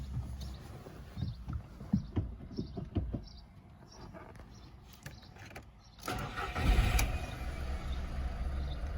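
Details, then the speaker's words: VW Polo 9N just after installing an aftermarket performance air filter. Some clicks, then the engine catches and settles into a steady, even idle with no check engine light; it sounds better. A normal start and idle. "Okay. Oh yeah. Sounds better."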